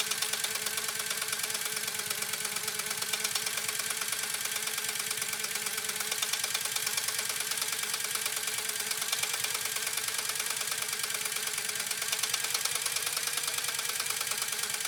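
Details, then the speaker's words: Restored PFAFF 130-6 sewing machine doing decorative stitch sew-off: quick even ticking about three stitches a second with soft whir, no clatter or binding — quiet, normal running. "Let's go ahead and do this final decorative sew off. Here we go. Isn't it quiet?"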